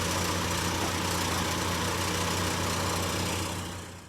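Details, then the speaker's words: 2012 Chevy Equinox idling after a temporary patch on its cracked resonator, left to cure half an hour; smooth low rumble with no puffing or ticking, sealed and quieter than before the fix. "Already I can tell there's a difference in the noise from before and now."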